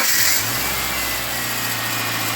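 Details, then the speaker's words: Subaru Forester after spark plug tube oil issue repair and plug change: quick catch with short rev flare, settling into steady even idle without misfire; starts better than the previous day, when it took a little cranking. "beautiful it actually even started better um yesterday it was it was taking a little bit of cranking to get it to kick to life but that's pretty good"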